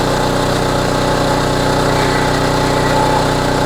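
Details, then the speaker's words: Homelite HGCA3000 3500 W generator after new carburetor and head gasket, warm, on a short fuel fill, full load about 3,300–3,400 W from heater and hair dryer; steady, even drone holding speed with no misses or knocks; healthy under full load. "Under full load does run really smooth though and it is very easy to start"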